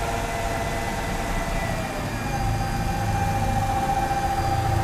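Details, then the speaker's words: 2003 Mercedes-Benz M112 2500cc V6 after full tune-up and calibration, bonnet open: smooth, even idle with steady low hum, no knocks or misses; rpm rose briefly on startup then settled to normal. "Mesinnya sehalus ini ya. Mesinnya halus banget. Ini V6 2500 cc yang sudah kita garap untuk tune up all perfect."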